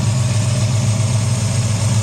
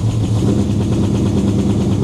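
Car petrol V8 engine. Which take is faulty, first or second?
second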